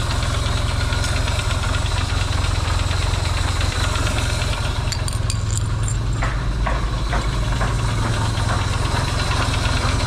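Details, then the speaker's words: Yamaha XS650 twin refitted to the bike frame, first start after work to cure oil burning: a low, even loping idle with a steady thump and no pinging or knocking, though smoking, hoped to be break-in. "nice and quiet not a lot of pings and bangs"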